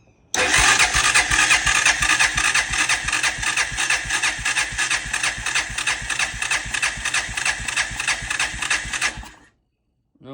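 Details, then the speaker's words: 1999 Honda Foreman 450S ATV, not starting, compression test while cranking: even starter chug about three beats a second, no fire; reads about 100 psi versus manual's 120–150; suspected leaking valves or worn rings, unconfirmed. Low compression. "So what I read on manual is reading 120 150 PSI. This thing's stopping off at maybe 100. So maybe leaking valves and or rings are worn out."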